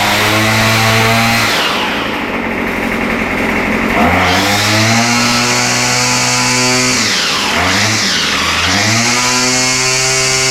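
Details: Murray straight-shaft two-stroke line trimmer restarted after repair, with the high-speed mixture needle opened slightly because it seemed a little lean and had trouble warming up. Crisp buzz revving cleanly to high revs and back to idle; runs well.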